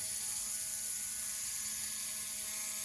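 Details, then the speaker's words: Bowser PRR M1 4-8-2 HO steam locomotive kit with a DC71 motor, first test run: a thin steady high whir with a faint buzzing rattle; a vibration noise suspected from the worm, needing oil, and the gear mesh is slightly loose. "needs a little bit of oil to get rid of that noise i think that's running pretty well it feels like that vibration noise is coming from the worm"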